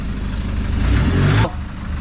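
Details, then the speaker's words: Nissan Patrol diesel after new injectors and a service: climbs cleanly on a quick blip and drops straight back to idle, smooth and even with almost no black smoke; healthy rev response. "wow it even just sounds so much nicer lovely"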